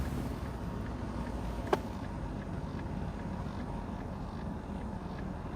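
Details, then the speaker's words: Calm, even idle with one stray click, no misses, pinging or sputter, on a big 8.1 V8 truck that tows, with over 200,000 miles, checked in neutral after switching to synthetic gold oil; much quieter than before. "this has an engine a 8.1 big ass engine it should be yeah sounding more like a yeah I mean that is unreal how much quieter that is"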